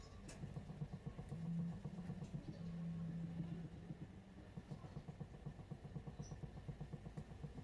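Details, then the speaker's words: Proton Saga Iswara while driving: faint quick clicks about four a second under road rumble from the rear driver's side wheel, felt as well as heard; owner suspects the wheel bearing, replaced months ago, after new spring and perch didn't cure it. "it's very very light audible and for some reason when I'm driving I can hear it very much and even feel it so it probably means the wheel bearing probably has some issue"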